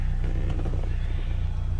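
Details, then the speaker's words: 2006 Pontiac Solstice field find, a no-start now running after bad connector pins were fixed: deep, steady, even idle with no knocks, misses or squeals. "look at that that's a sight for sore eyes running car"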